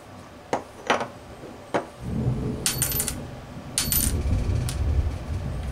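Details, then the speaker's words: Saito FA-65 model aircraft four-stroke engine, crank turned by hand during teardown: gritty, uneven rumble with irregular clicks and catches from a completely failed crankshaft bearing. "Hear that? That's the sound of a completely shit bearing."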